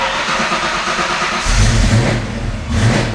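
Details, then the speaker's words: 1987–1993 Ford Mustang Foxbody with a new throttle body on Holley Terminator X EFI, before IAC tuning: it stumbles and sags right after starting and won't hold idle, then picks up once the throttle blade is opened slightly. "Yeah, I don't think it's weighing idle. Okay, let me actually give it a little bit just a little bit of gas here just to open up that throttle blade just a hair."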